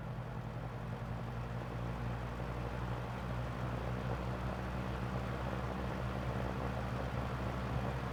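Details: Lakewood 200i vintage fan, restored after years of excess oiling sludged the motor, started on low with a possible guard rub: a steady low motor hum and even whoosh of air with no knocks, scrapes or wobble.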